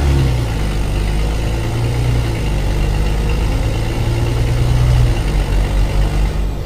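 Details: Mercedes-Benz O-500MA diesel bus idling with a deep, loud, chuffing rumble from a holed exhaust.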